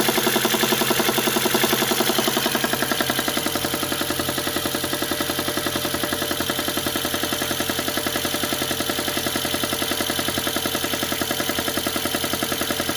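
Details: VAZ (Lada) engine, cold: a steady metallic ticking knock over the idle that disappears once the engine warms to about 50°C.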